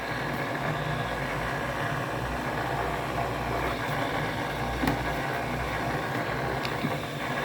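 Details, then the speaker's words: LG front-load washer WM4200HWA: steady, coarse grinding rumble low in the machine under drum noise, worse than during the wash cycle, with vibration; worn drain pump, replaced with AHA75853803 and noise gone. "now it's grinding even more than the wash cycle coming from here you can feel it"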